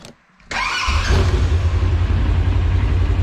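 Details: First start of a newly installed replacement engine, with new plugs, wheel bearings, driveshaft U-joints and front diff seals: it catches after a short crank and settles into a steady, even idle with no knocks or odd noises; normal start and idle.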